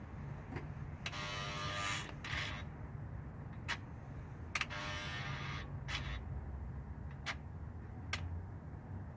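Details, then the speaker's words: 2009 GMC Envoy stuck in 4x4, heard from under vehicle when switching to 2WD: two short electric motor whirs ending in clicks, then no shift; failing transfer case encoder motor, replaced as the fix. "there's switching to two wheel so you can hear it try to switch and then switches back"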